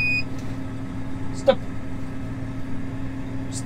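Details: New Massey Ferguson 8S tractor with a seed drill sowing winter barley in the rain at dusk. A short, high beep over the steady tractor hum is the seed hopper's low-level sensor alarm warning that seed is running out.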